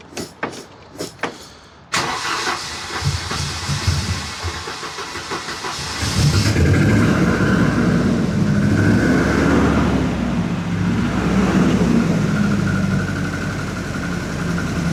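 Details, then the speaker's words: 1988 Volvo 240: engine cranks and catches, then a rough uneven knock about three per second over the idle; owner believes piston slap, with heavy blow-by and smoke once warming up. "You hear that? or the piston slap."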